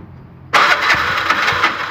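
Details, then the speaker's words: Bajaj BS6 LPG auto-rickshaw, injector failed and replaced elsewhere but still not fixed: the starter churns at an even rhythm and the engine never fires or catches, no-start blamed on the failed injector. "ಗಾಡಿ start ಆಗ್ತಾಯಿಲ್ಲ. ಇದು injector ಹೋಗ್ಬಿಟ್ಟಿದೆ."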